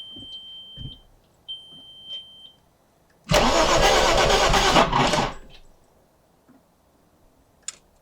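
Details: Audi B5 S4 after timing belt and gasket work and reassembly, fuel pressure present: starter spins steadily for about two seconds with even compression pulses but it never catches; crank no start, ignition control module wires swapped brown/black.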